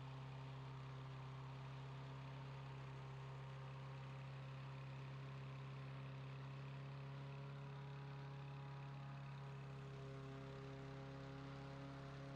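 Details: Free self-propelled mower's small single-cylinder overhead-valve engine after carburetor jets cleaned and carburetor reinstalled, governed at full throttle; steady hum with constant pitch, no surging or sputter, running normally.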